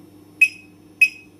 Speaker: the final every time you have disabled the final tab sounds like beeping like this okay now for example this one that's why i have sounds because of the disabled